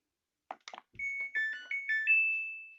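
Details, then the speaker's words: Samsung washing machine whose start button beeped twice and would not start, after a hidden button-combination hard reset and power cycle: short rising chime of several clean beeps at switch-on, a full tune rather than one beep; normal power-on melody. "Suaranya sudah ada nadanya, ya, tidak tit gitu, tidak bip 1 kali, tapi sudah ada nadanya."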